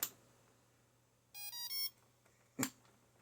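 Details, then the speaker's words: HAKRC 60 A ESC on a bench power supply, no capacitor, motor not driving the sound: three short rising beeps right after power-on, then a few clicks, every time; a second identical ESC stays silent; owner suspects the ESC failed. "That ESC just beeped when I turned on the power supply. Yeah, I know there's no capacitor and stuff. That ESC went bad. Anyhow, every time I turn on the power, it beeps."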